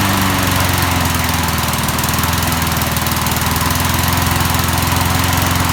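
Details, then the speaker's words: 1988 MTD self-propelled mower, head just refitted, running on premixed two-stroke gas after water in the fuel; steady single-cylinder putter, even beat at constant speed; runs not too bad, normal running. "okay so it runs not too bad"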